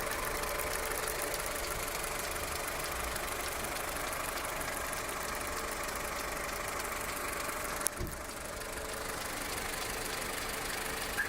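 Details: Skoda Octavia Tour 1.4 16v, 630,000 km, hot after half a day's driving, no error codes, running smoothly at idle: light, fairly steady tapping about three times a second over the engine; knock of undetermined source, cold start check planned.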